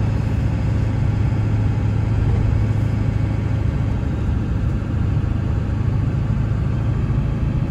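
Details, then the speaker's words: 1999 Ford F-350 4x4 dually with the 7.3 Powerstroke diesel and 58k miles, slowing for a sharp corner. Steady drone with no pops, rattles or clunks from the brakes or front end, and the pedal is firm, not spongy; normal braking. "Hear the brakes to slow down to go around this sharp corner up here. It don't cause any kind of pops or rattles, no kind of clunks or anything."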